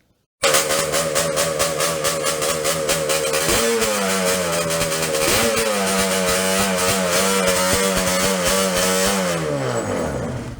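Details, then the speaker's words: Yamaha Banshee two-stroke twin on cheap 38mm Keihin PWK copy carburetors, main jet drilled to 0.125 in, pilot raised from 55 toward 80; ragged, unsteady idle with revs surging and hanging before sagging; lean idle. "I wound up going from a size 55 pilot to a size 80 pilot on this just to get it to idle. And I'll show you some idle clips here. Here's what lean looks like and sounds like."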